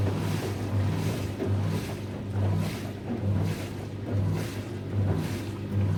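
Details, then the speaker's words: Newly installed SFA lift pump with washing machine drain hose, two washing machines draining at once so pump running flat out: low steady hum swelling and easing about once a second as water surges; normal running under load. "Sachant que dans ce cas-là, vous avez eu les deux lave-linges qui ont vidangé en même temps. Donc le bruit au début, il était assez important. La pompe, elle a fonctionné vraiment à fond."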